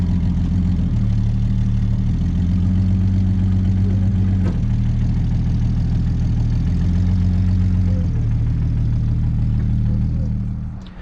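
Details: 1967 Chevy Nova barn find, last on the road 1983, low on oil, started with starting fluid: steady low idle with uneven, lumpy beat and wavering tone; rough idle after sitting decades.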